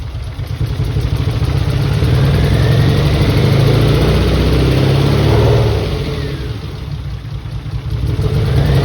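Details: Mitsubishi 3000GT VR4, new engine's first start on old, long-sitting cleaned injectors. Loud idle with an uneven, stumbling beat near four per second that rises and falls with the revs. Owner suspects injectors, with one or two cylinders misfiring.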